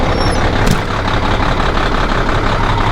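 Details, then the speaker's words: Old Peterbilt truck diesel, cold start after replacing the leveling valve, first checking the ABS: lumpy low clatter at idle with an air hiss at the start; warming up, smokes a little when cold, leaky injector suspected but unconfirmed. "Warming up. Smokes a little bit when it's cold."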